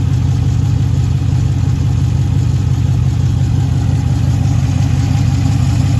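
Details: 2013 Jeep Grand Cherokee idling, heard through the exhaust with smoke: uneven, lumpy idle with a low chuff stumbling about twice a second; left bank cylinder 5 misfire (P0305) from a bad camshaft lobe and lifter.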